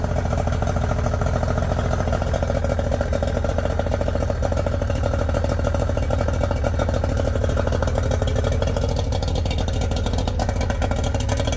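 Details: Yamaha 90hp two-stroke three-cylinder outboard, unrun for a couple of months: it starts, but the idle is limping and uneven with a missing beat each turn, as cylinder #2 will not fire. Cause unknown.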